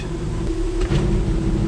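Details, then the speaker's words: 1966 Ford F100 with 300 six-cylinder, 4-speed manual, freshly revived, running with its onboard belt-driven air compressor engaged: steady clattering hum over the engine rumble while building modest pressure for tires; pop-off heard; compressor working normally. "clattering away now is that the compressor we're making pressure now oh yeah not a ton but what we need for pumping up tires"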